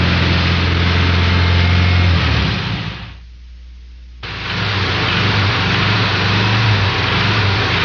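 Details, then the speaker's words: Air-cooled Volkswagen engine accelerating under load: steady deep knock about four per second fluttering in and out as revs climb; rod knock from worn rod bearing. "Notice how the rod knock noise flutters in and out as you're accelerating loaded. I mean, accelerating the engine until it's loaded. It's a very easy sound to determine if you know exactly what you're listening for."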